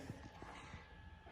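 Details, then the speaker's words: 1979 Mustang pace car with a newly installed 10,000-lumen LED headlight kit: a faint steady high whine over a low hum from the headlights humming away. Normal LED headlight cooling fan whine. "And they look good, humming away."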